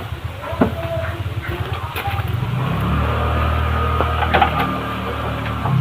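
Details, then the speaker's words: Suzuki Shogun motorcycle: coarse, gravelly roughness inside the engine case that grows harsher as it revs; worn crankshaft bearing, confirmed by crankshaft play after removing the clutch. "dia waktu pertama itu suara kasar dan kita di gas makin kasar"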